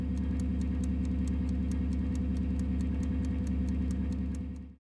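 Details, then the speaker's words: Refrigerator ice maker, whose timed motor slowly rotates through each ice-making cycle. A faint, even ticking about three times a second over a steady low fridge hum; normal ice maker timer sound. "if you notice a faint ticking sound then it's likely coming from the ice maker the ice maker has a timed motor that slowly rotates through each cycle as it makes"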